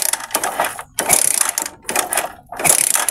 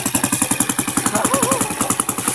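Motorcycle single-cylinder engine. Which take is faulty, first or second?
first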